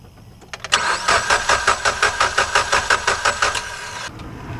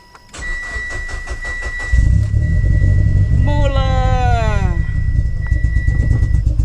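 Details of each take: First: 2011 Mitsubishi Evolution, electrical blackout caused by rodents, battery dead: starter turns engine steadily, about three beats a second, for several seconds but it never fires; spark plug test shows no spark, compression sounds good. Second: 2011 Mitsubishi Evolution with rodent-damaged wiring: brief crank then catches into a steady, even idle with deep exhaust note and no misses after repairing the chewed crank sensor wiring, which had caused no spark and no start.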